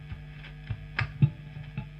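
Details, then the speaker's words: Late-1980s Hiwatt 100R Trinity tube guitar amp: low mains hum with irregular crackles and thumps as a valve socket is moved, extremely microphonic whatever tube is fitted; intermittent bad tube socket contact. "I've got some strange things happening extremely microphonic doesn't matter which tube we put in and you can see if we start moving this socket"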